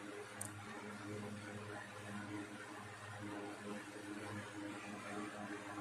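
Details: 1960s 16-inch Toastmaster box fan started up after storage since late 2022: steady even low hum with soft airy rush, no rattle or wobble; runs good, owner says it needs cleaning and probably servicing.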